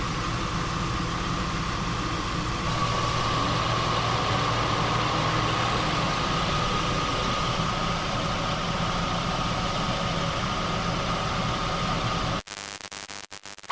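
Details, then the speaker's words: 2005 Jeep Liberty at idle, A/C on full, after charging refrigerant using manifold gauges: even idle with a steady mid-pitch hum, no cutting in and out; above the low-pressure switch threshold the compressor stays engaged, ending the short cycling, air now cold. "Once I reached the point above low pressure for that sensor, the compressor kept running."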